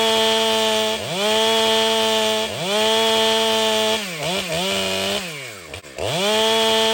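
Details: Ported Stihl MS500i chainsaw cutting: high, even scream at full revs that bogs and recovers cleanly between cuts, no stumble or hesitation; normal running.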